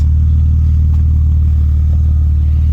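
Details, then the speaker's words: BMW E36 with catless M3 midpipe after fitting an Ireland Engineering catback muffler: deep, steady, quiet idle with soft low rumble, no rasp, drone or ticking; normal exhaust note. "wow i did not expect that it's really quiet but you hear that purr it's not gone like"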